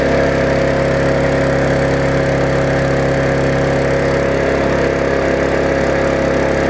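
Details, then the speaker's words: Yard Machines mower after tune-up (carb diaphragm, air filter, oil, blade, bent auto-throttle fixed), possibly slightly flooded from tipping: steady even drone, no misses or surging, burning off some raw fuel; normal running. "so it was running it had a quite a bit of fuel to burn off there admit it a little bit of raw exhaust out there"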